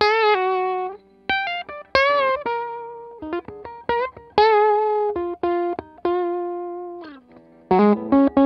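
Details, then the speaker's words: Vox AC100 amp build troubleshooting, running with only two power tubes at moderately higher volume: guitar rings full and slightly gritty, crunchy on harder strums, clean when played softly, on the verge of breakup; amp sounds healthy. "So you get the idea, that sounds nice and crunchy. If I go soft on it, still nice and clean. So we're just kind of on the verge of breakup there."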